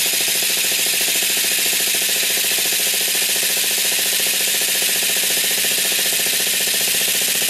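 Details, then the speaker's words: Traxxas Sport Maxx (upgraded to T-Maxx) nitro RC with 2.5 engine, sat 4–5 years, on a stand: fast even starter whirring with no firing; wouldn't start, apparently needed priming. "okay so I did some looking around and try to figure out why I wouldn't start and turned out that I just primed it a little bit I think is what it was"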